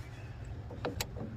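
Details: Sharp clicks from the PTO overrunning clutch on an antique Farmall tractor without live PTO, ratcheting normally as the implement's inertia keeps it freewheeling after the clutch is pushed in, with the coupler refitted.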